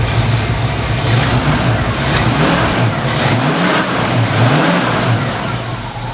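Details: 1968 Ford Mustang running after 12 volts jumped directly to the ignition coil fixed bad voltage; pulls up and settles cleanly, smooth even firing with light belt noise to be tightened; normal running.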